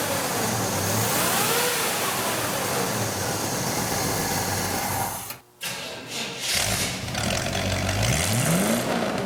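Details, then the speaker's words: 1956 Chevy 3100 pickup with a Camaro 305 V8 and Turbo 350 transmission: the small-block fires and settles, then revs climb and fall cleanly with a steady, even beat. Normal start and rev, runs smooth. "We're going to start this Chevy V8 engine up for you so you can hear it run. We're going to rev the engine for you this time."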